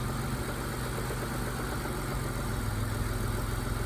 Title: Mitsubishi GTO with rod knock